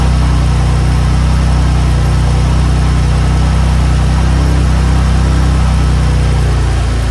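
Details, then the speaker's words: 2015 BMW M4 F82 with S55 engine, first start after a spark plug change: steady, even low rumble with no knocks, misses or ticks. Normal idle. "all right it runs all right well that is it the car runs sounds good"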